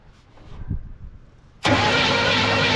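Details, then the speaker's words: 1968 Chevrolet C10 small-block V8, seized and unused since 1996, after freeing the engine and fitting a new starter and battery: starter engages and spins the engine steadily and evenly; it now cranks freely. "Oh, look at that. Look at that. She went from being stuck. She spins over like a champ."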